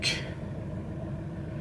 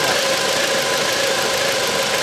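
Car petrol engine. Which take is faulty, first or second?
first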